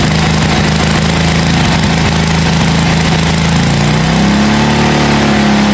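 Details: 1982 John Deere 108 lawn mower being built into a mud mower, first start after fitting a different carburetor: steady single-cylinder putter with an even beat, rising slightly then settling; runs cleanly on the new carburetor.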